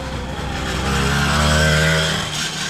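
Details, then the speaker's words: Newly built motorized bicycle "The Black Duck" riding past under throttle: small two-stroke with a deep, dull, muffled chugging note, like a tractor, not a crisp buzz; the engine pulls with strong torque, cause of the odd sound unknown. "Yeah, but it sounds like a tractor. Y'all listen."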